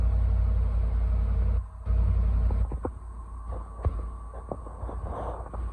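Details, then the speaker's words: 2010 Land Rover LR4 5.0 V8 just after TCM and valve body swap from a 2012 LR4 for code P0915 (ZF 6HP28); smooth low even idle rumble, no chain or timing noise, no warning lights; healthy. "Sounds good. Yeah, it does. No chain noise. No. No timing noise."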